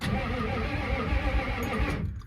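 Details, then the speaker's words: Ford F-350 diesel sitting 19 years, first crank after the batteries are installed; steady, even starter churn for about two seconds, with the engine spinning freely and not seized. Normal cranking. "Oh yeah, she does. What did I just see move? What in the world? Where'd that come from? It came from up there somewhere. Okay. She sounds okay."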